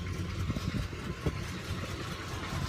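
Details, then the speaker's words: "Sweet71", now warm enough that its usually high idle has come down low: a soft, even idle rumble with no knocks or ticks. Owner says it's purring like it hasn't in a long time. Normal warm idle. "she's purring listen to this listen to her purr she's happy I haven't heard a purr like this in a long time"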